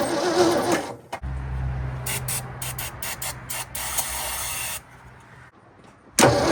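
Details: 1967 Ford F100 abandoned 20 years, on a fresh battery with the fuel line unhooked: the starter cranks evenly for seconds but nothing catches; the carburettor accelerator pump was later found not moving.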